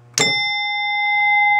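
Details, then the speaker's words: 1967 Williams Magic City electromechanical pinball machine with newly replaced chime coils: one clean chime strike rings out loudly and sustains evenly, with no buzz or dull thud. Chimes are scoring normally. "here are the new coils in uh the big Bell and the small bells and they work so woo loud when you're in here"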